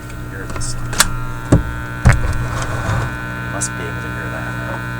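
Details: Teletone 67-600E tube record player amplifier on an isolation transformer, plug reversed: steady low hum with a buzzy edge behind handling clicks, unchanged after reversing the plug; mains hum and buzz in the amplifier.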